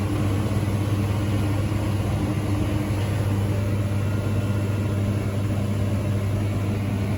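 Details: Through-the-wall condensing unit with newly replaced compressor (original failed months after install), first start after changeout: deep, steady hum, even throughout with no clanking or labouring; running smoothly.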